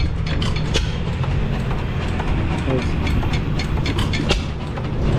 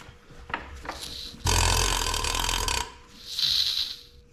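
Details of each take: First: 1909 Lauson 2.5 HP engine, unrun about 5 years, running outdoors with newly rebuilt igniter: steady low thumping with irregular sharp pops over a deep rumble; firing cleanly, rebuilt igniter working perfectly. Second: 1909 Lauson 2.5 HP engine, rebuilt igniter just installed after 5 years sitting, hand-cranked slowly: a sharp, airy hiss on each compression stroke as compression leaks around the igniter shaft into the cylinder.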